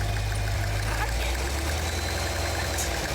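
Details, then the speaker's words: Brand-new Cadillac Escalade V, 6.2-liter V8, about 15–18 miles, flashing check engine light, just started by assistant: faint regular light tapping over the idle rumble; knock of unknown origin. "Nothing like a little bit of a knock in the engine here with a whole 18 miles, a nice check engine light that's normally flashing, and never touching more than 50 or 55 on side streets on the way home from the dealer."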